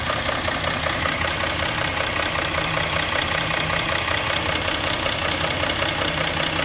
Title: engine knock